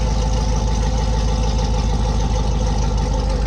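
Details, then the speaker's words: C7 Corvette V8, automatic, just fitted with an MSD intake manifold, untuned, idling after first start. Deep even idle with a steady lumpy pulse and no knocks or ticks. Normal healthy idle. "Very nice. Very, very nice. Very, very nice. Freaking, everything seems to be running good."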